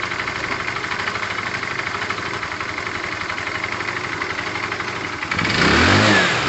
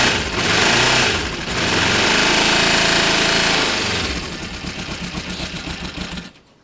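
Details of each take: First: Tamoretti with replacement carb after air-fuel and idle screw adjustment: steady idle pulses, then a quick clean rev without stumbling; owner judges the carb near optimum setting. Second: Motorcycle starting on a temperamental battery: cranks, catches, revs briefly high then settles to an uneven lumpy idle; owner thinks it runs well but suspects the carb air-fuel screws need tuning, fuel leak also noticed.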